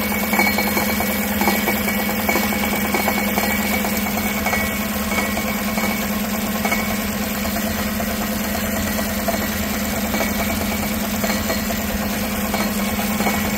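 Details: 2016 Tahoe 5.3 V8 with 140,000 miles, no check engine light, idling and heard underneath at the converter: a loose, tinny rattle over the steady hum. Part of the driver-side catalytic converter's insides has come apart.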